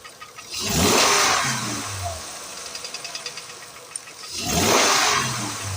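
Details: 2008 Acura MDX engine, throttle blipped and released repeatedly; as revs fall a quick run of light metallic ticking comes through, cause unknown; engine ticking knock.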